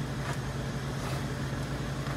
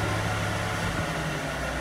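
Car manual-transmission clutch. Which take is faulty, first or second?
second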